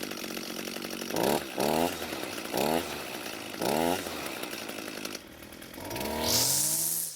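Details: Echo SRM 230 two-stroke trimmer after repair (correct ignition coil and carburetor fixed): holds a buzzing idle, blips cleanly to high revs several times, then revs up hard; responds crisply and runs healthy.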